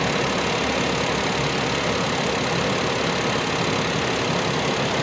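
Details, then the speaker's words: Suzuki Alto, about a 2020 model, in for no-start and dead meter lights (battery fitted reversed, no DTCs), idling with AC on, compressor clutch engaged and suction line cooling: steady even idle with compressor and radiator fan hum; normal. "ठीक है और जो compressor है ना इसका भी clutch घूम रहा होगा ये इसका क्लच भी घूम रहा है और ये इसका सेक्शन वाला फाइव है ये ठंडा हो रहा है अभी"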